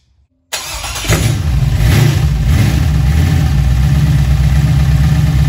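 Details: Junkyard LM4 aluminum 5.3 LS V8 on a stand, just fitted with a Tick Performance Street Heat Stage 2 cam (229/235, 111+2, +10° overlap vs stock -37°). Starts instantly into a loud, high idle with only a slight lope; the owner thinks it isn't idling down far.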